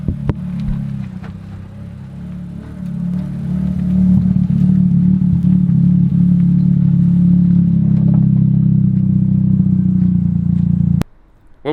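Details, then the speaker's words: Mazda drift car being driven after a stone found on the lower control arm was removed: steady low rolling rumble over bumps with no knocks or rattles; steering and suspension sound normal, though the rock is doubted as sole cause. "nothing there steam rec sounds good suspension sounds normal there's no bumps and rattles anymore"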